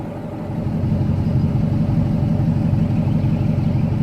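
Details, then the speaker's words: 2014 Dodge Ram Hemi V8 with new BBK shorty headers, exhaust cutouts open: deep, even idle with loud open-exhaust burble and steady lope, no knocks or misses; normal idle. "Doesn't sound too bad."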